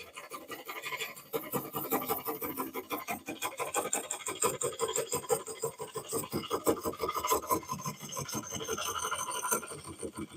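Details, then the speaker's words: Lathe turning a cracked cork oak bowl. A rough scraping cut carries fast, uneven ticks, about three a second, as the tool drags and catches on the crack every turn. "Yeah, it comes down. It just really drags and catches every time."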